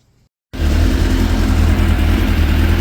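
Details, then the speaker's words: 2006 Suzuki GSX 600F Katana with iridium plugs, after carburetor air/fuel screw adjustment (1/4 turn in): steady, even idle with a smooth low throb and no misses, rpm dropping quickly to 1,200, with no excessive smoke. Running healthy. "So now I fired the bike up again, and the screw is 1/4 in, and it sounds really healthy."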